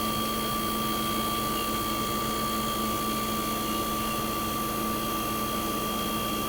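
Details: 1965 Fedders Weather Wheel 12000 BTU air conditioner, first spring 2023 startup, fired right up: even steady compressor hum, smooth fan rush, faint constant tone, no knocks or rattles; suction line ice cold, air ice cold. Running healthy.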